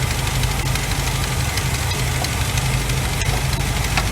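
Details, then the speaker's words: 1986 GMC Sierra, 400 small-block V8 idling during valve adjustment on new distributor install: light quick ticking over rough idle as rocker nuts are loosened until lifters tap. "there's a little tight so basically with it running you loosen them up until they start tapping tighten them up till they shut up and then go quarter turn"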